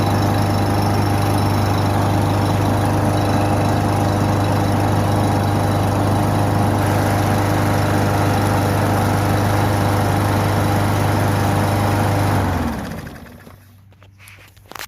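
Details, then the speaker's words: Free Husqvarna 5521P 550ex 140cc auto-choke push mower with Seafoam in the oil, just started: steady idle with a faint, quick, even tapping until it shuts off. Owner hears a slight tap, source unknown. "sounds like a little tap it noise going on but i don't know"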